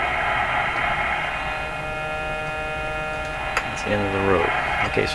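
A loud, steady low buzz drowns the speaker output and holds constant while tuning; the set has a mains hum.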